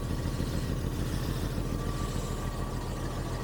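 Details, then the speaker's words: 1985 Jaguar XJS V12, first run after 30 years abandoned, warming up at idle: a regular stumble of roughly two beats a second over the engine note. It is likely down on one cylinder, with that injector probably not firing. Cause suspected, not confirmed. "I think we're just down on one cylinder now probably that injector is not firing on that"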